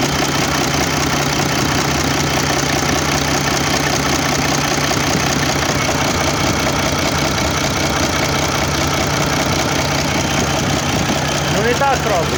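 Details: Mercedes OM401 diesel at idle: dull, low knock at an even pace under the normal clatter, cause still being searched for.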